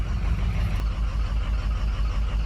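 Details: 2006 Ford 6.0 Powerstroke diesel truck, 218,000 miles, sat over a week during rebuild: heavy low rumble with uneven lumpy idle beat, rough running, misfire; cylinders dropping on test, possible cracked injector suspected, smoking; cause unconfirmed.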